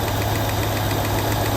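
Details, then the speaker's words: 1967 Lincoln V8 after installing new carburetor with drilled inlet port: started right up, steady even idle rumble, no misses or knocks, running smooth while warming up; exhaust sounds better than with old carburetor. "started right up and it's running real smooth I'll let it warm up a little bit"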